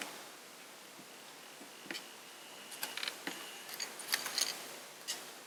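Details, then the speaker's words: Sony MZ-R91 MiniDisc recorder bought as dead: after inserting a disc, faint uneven ticks about three a second in a quiet room while nothing moves and the disc never loads; owner suspects it may just need cleaning and lubing, unconfirmed. "So it sounds like it's trying to load, but nothing's actually moving, and I don't know."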